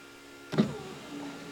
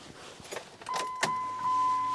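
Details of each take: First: Dodge 5.9 Cummins truck, passenger front power window after temporary rewiring of switch power: short clean motor whir with thunk as glass moves, no grinding; window works after repair. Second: Small window motor in a vehicle door whirs briefly with sharp clicks and clunks between runs; it clicks with no switch pressed, then runs and cuts off when switched; owner suspects wiring.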